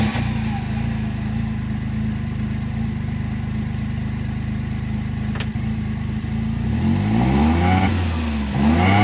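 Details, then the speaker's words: 2016 John Deere Gator 825i after a new fuel pump and regulator: a steady idle revving cleanly with no stumble. The miss had been caused by the old regulator letting too much fuel through; the new pump is much quieter. "This pump is nothing in noise. I can hear it. I don't even know if y'all can hear it. It pumps up, but it's way quieter than the one that was on there."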